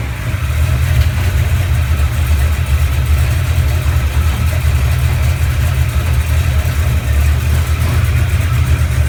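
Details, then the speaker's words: 1970 Chevelle 454 V8 with a flat-tappet cam, cold start right after cam break-in and an oil change. Deep, even rumble holding a steady fast idle with no ticking or knocking; sounds healthy. "we're going to go ahead and give it a cold start and see what it sounds like after the oil change and the Canam broken"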